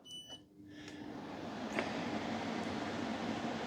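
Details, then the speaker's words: Small 9,000 BTU portable air conditioner with a hose blowing air outside, starting up: a few beeps and a click as the compressor kicks in, then a steady fan and compressor hum that builds and settles; a normal start-up. "When that unit comes on, it clicks in as the compressor starts."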